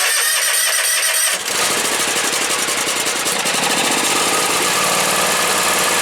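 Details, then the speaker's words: John Deere X320 lawn tractor, Kawasaki engine, after carburetor replacement (old one fouled by ethanol), air cleaner fitted, half throttle with some choke: catches after about a second and settles to a steady, even idle without hunting. "throttle now you can see we got a nice idle and there you have and uh this job is finished"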